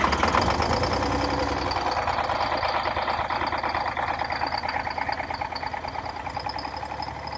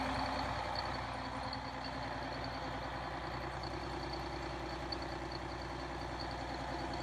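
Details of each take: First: Cold start of a Detroit Diesel 6V92 in an MC9 bus in late October, engine about 39–40°F: a rough, uneven, stumbling idle because not all cylinders are firing. It runs normally once given more fuel. The owner suspects leaking/clogged injectors or stuck piston rings. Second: Detroit Diesel 6V92 two-stroke in MC9 bus, cold start in late October (engine around 39–40°F): after more throttle all cylinders fire, giving a steady, even drone with high blower whistle; owner suspects leaking/clogged injectors or stuck rings.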